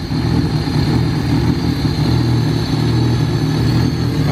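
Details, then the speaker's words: Honda Del Sol stock D16 with eBay turbo kit, first start: lumpy, stumbling low idle, maybe smoothing slightly. Wideband shows only lines, unsure whether too lean or too rich. Rough idle, cause unconfirmed. "so it runs it's a little stumbly and the wide band's just showing lines so I don't know if it's too lean or too rich"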